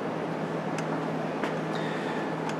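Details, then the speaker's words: Electric fuel pump energized during a current-draw test reading 5.5 amps, within the 4 to 8 amps looked for: a faint, steady low hum under light background noise; the pump is running normally. "I don't know if you could hear the background but there's a slight hum and that's the fuel pump being energized"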